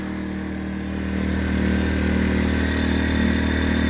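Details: New Predator 2000 inverter generator just started after priming: a steady, even hum settling at a constant speed, no knocks or misses; normal running.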